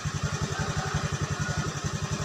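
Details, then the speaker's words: Honda Beat scooter that was dead when the key was switched on (no lights, speedometer dead): with a jumpered relay fitted as an emergency fix, it starts on the starter and idles evenly with no misses or knocks; replacing the relay is advised. "kalian lihat di bagian sini tuh otomatis nyala dia kita starter nah dia hidup bagus ya"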